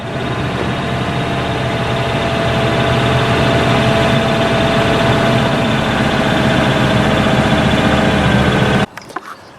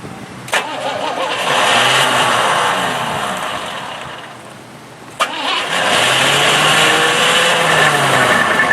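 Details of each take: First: Old Cadillac with a 131,000-mile 5.0 (307) V8, started with the choke set after adding used oil and Amsoil engine flush: steady, even idle with a constant hum, no knocks or misfires, until shutoff; normal idle. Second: Old Cadillac, carburetor primed and fresh gas added: two cranking bursts, each with a sharp clack as the starter whirs then drops out; it keeps kicking out due to a weak starter solenoid.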